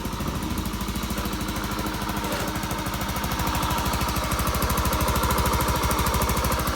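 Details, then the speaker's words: Honda Beat scooter that had lost ignition, after replacing the CKP (crankshaft position) sensor; battery weak so kick-started, few kicks then catches and settles into an even single-cylinder putter about three beats a second; normal idle. "Ya, normal ya, real ya ini. Pergantian sensor CKP karena pengapian hilang tadi ya."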